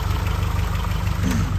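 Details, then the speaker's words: 2013 Scion FR-S petrol engine, freshly serviced, idling steadily with a light fast ticking over a low hum: the normal chirp of the direct-injection high-pressure fuel pump producing lots of fuel pressure, nothing wrong. "they are kind of noisy engines so if you ever hear like almost a chirping noise it's actually a high pressure fuel pump producing lots of fuel pressure"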